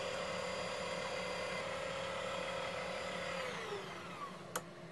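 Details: Electric propeller drive on a new 3D-printed throttle controller box, fans connected, controller green light, cruising forward: a clean, steady electric whine that holds its pitch, then glides down smoothly as throttle eases. Motor and controller work normally.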